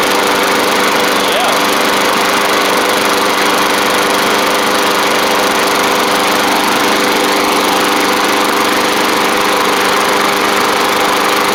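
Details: Bolens push mower, Briggs & Stratton Classic engine after repairs including carb kit: steady even buzz at constant speed, no surging or misses; running smoothly, possibly a little water from washing.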